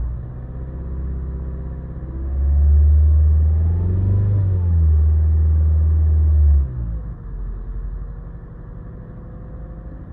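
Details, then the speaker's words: 2015–2016 Mazda 3 with check engine light that flashes under acceleration: engine pulls with a rough, uneven rumble under throttle then settles; codes P0302 and P0300 show a cylinder two misfire. "you see the check engine light is on but sometime when I push the accelerator start flashing"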